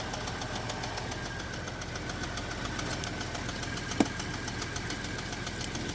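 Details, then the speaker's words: Chevrolet Traverse engine warming up after an oil change with thicker oil and Lucas stabilizer, idle just dropped: rapid, regular tapping knock of about five a second over the idle; the internal knock is still present, cause unknown. "oh she's still knocking on heaven's door that's for sure"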